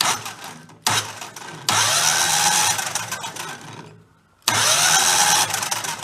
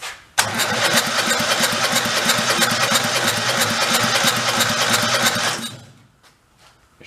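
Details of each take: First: 2000 Terramite T5C compact tractor loader backhoe, engine threw a rod and was rebuilt from junk-engine parts; on jumper pack the starter spins it fast and evenly with no puffing or slowing on compression strokes: no compression, exhaust valve seems to sit low. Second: Engine for a 2000 Terramite T5C compact tractor loader backhoe whose own engine had thrown a rod, run briefly on fuel poured down the intake with the carburetor off: it fires at once with even, rapid pulses under a loud exhaust, no clacking, then shuts off.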